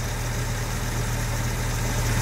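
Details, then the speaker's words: Jaguar Series 1 4.2 with new electronic ignition, warm idle just after the choke went off, at about 750 rpm. A smooth, even low rumble with no misses or knocks; running fabulously. "Oh yeah, she's running fabulously now. Absolutely fabulous."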